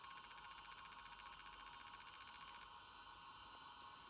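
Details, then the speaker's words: Olivetti Quaderno PT-XT-20 laptop hard drive on a USB interface: quiet, rapid, even clicking as it fails to spin up because the heads are stuck to the rubber bumper. "cliques mean that the head is stuck to the the rubber bumper"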